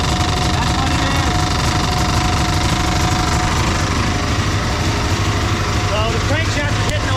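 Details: Dodge Charger 440 big block V8 at rough idle; uneven metallic clatter about three knocks a second; crank catching the oil pan or pickup tube.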